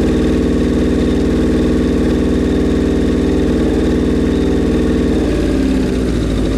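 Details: Suzuki Bandit 1200 at its first start after a rebuild, on choke: a lumpy, loping idle that sags and stumbles near the end as if about to stall. The owner expects it may die because the carbs are so out of whack and unsynced.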